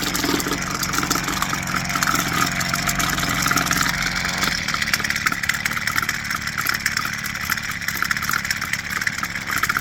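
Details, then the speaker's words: New Husqvarna 330LK two-stroke string trimmer just after its first start, warming up: buzzes at a high steady pitch then drops to an even idle after a few seconds; normal idle. "That sequence, from what I've read, very normal. That's just how Husqvarnas, when they're new, how they start."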